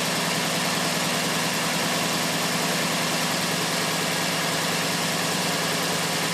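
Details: 1992 Lexus SC400 at idle, loud with an uneven, lumpy beat of about three pulses a second; runs with the mass airflow sensor unplugged but dies once it is plugged in; owner suspects a faulty MAF sensor, not confirmed.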